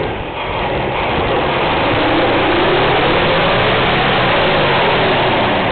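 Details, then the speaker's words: 1980/81 Chevy C20, 350 (5.7) V8 with Quadrajet carb, cold engine: uneven, loping idle with an irregular stumble two or three times a second. Owner suspects worn spark plugs; not confirmed. "oops not [Music] happy a little cold right now so heard that sper before need new spark plugs"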